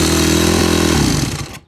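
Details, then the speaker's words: 2001 Yamaha WR250F dirt bike engine with a previously repaired hole in the case: runs rough, then a gritty, crunchy grind trails the rundown at shutdown; possibly from aluminium ingestion, cause unclear, low compression also suspected. "I don't know what makes that noise but it's a bad noise and it could be related to aluminum ingestion"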